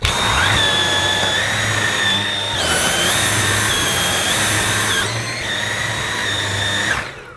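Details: Dyson V8 Absolute cordless vacuum, new out of the box: high steady motor whine stepping up in pitch and back down between power modes, smooth and even; normal running.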